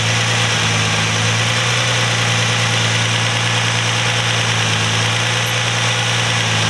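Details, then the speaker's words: Nissan Altima SE-R at idle: steady airy whistle/hiss over the engine, an intake vacuum leak traced to the catch can hose fitting into the intake; reseal with Teflon tape planned. "And I don't know if you guys can hear that whistling noise, but it's definitely an intake leak. And I found that it's coming from my catch can."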